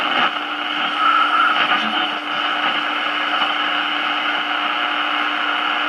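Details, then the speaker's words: 1946 Val-Keen/Detrola 572 six-tube radio with power transformer, chassis out: a steady low hum and hissy buzz under the AM station. Owner suspects the electrical noise comes from outside power poles, not the room lights. "todd got the electrical noise coming in it's really bad it's not the lights in here it's probably the power poles out acting up again"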